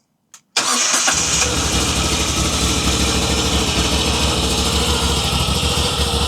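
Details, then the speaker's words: 2021 Moto Guzzi V85TT twin first start after timing chain tensioner replacement: catches on first crank and settles into steady, even idle with no ticking or chain clatter; sounds healthy. "sounds how it should sound."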